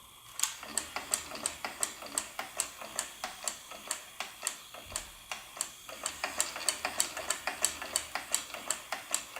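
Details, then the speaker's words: Fisher-Price Cradle'n'Swing motor after the startup-grinding fix, reassembled with its optical speed-sensor wires reconnected: light, regular ticking about three a second with no grinding; not super quiet, but much quieter; normal operation. "not super quiet but it's not that loud anymore okay stop saying nicely and this is actually not that bad anymore the baby probably would flick through this noise"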